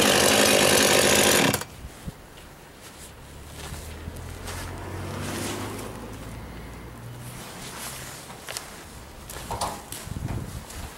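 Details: Husqvarna 51 two-stroke chainsaw, first start of the year after most parts were replaced last year including a new casing; it roars loud and even for about a second and a half, then cuts out, starting and running normally.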